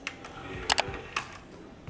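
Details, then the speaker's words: DVD player disc tray after greasing rails and channels with dielectric grease to cure a squeak: soft button clicks and smooth, quiet tray movement with squeak nearly eliminated. "oh that's so quiet it's so it's like a mouse"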